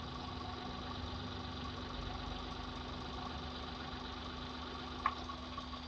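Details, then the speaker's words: Hyundai Eon petrol engine idling low and uneven with more vibration when one spark plug cap is pulled (cylinder drop test), one sharp click; idle returns to normal when refitted. "right so you'll notice that the idle change all right like that you see the vibration check that the vibration"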